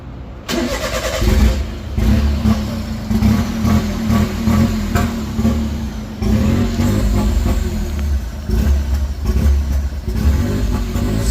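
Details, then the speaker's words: Honda Beat PP1 with E07Z turbo swap on a new ECU, first start after injector and coil tests: uneven lumpy beat with blips, not settling; trigger errors logged, possibly from a sensor not fully seated, no alternator fitted. "we're getting trigger errors though [Music] but that could be from that sensor just not being all the way in but it starts and runs all right"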